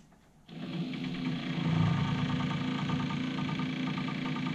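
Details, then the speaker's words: AIWA AD-WX929 1980s twin cassette deck, powered on with perished drive belts: quick even ticking about four times a second over the motor whir as bits of old belt on the wheels slap around; ugly noise, owner hopes belts are the only fault. "this so we get rather ugly noise from it um and that is just the wheels turning with bits of the old belt on it"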